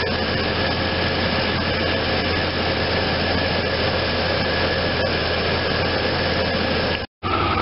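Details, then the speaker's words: 1993 Chevy S10 4.3L non-Vortec TBI V6 idles steadily after new alternator, belt tensioner, idler pulley and serpentine belt replaced a squeaking alternator; no squeal, chirp or knock, and the new alternator is charging. "So that's verifying that the new alternator is working."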